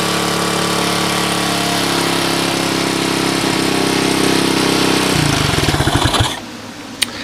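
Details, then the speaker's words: Suzuki DR200ES with Honda 250 clone carb, oversized for the 200cc engine, no air filter: steady single-cylinder beat, short rev blip, clean shutdown, no misses; normal running. "so there she is she obviously runs that is a Honda clone carb it's off of a 250 SX"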